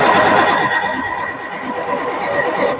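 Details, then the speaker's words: 1966 GMC bus chassis RV with Perkins diesel, parked 30 years, first crank with unknown fuel condition: brief even whirring crank turning over smoothly with no dragging or uneven beats; healthy cranking. "well that's good news right off the bat that thing sounded smooth guys what do you think that's awesome"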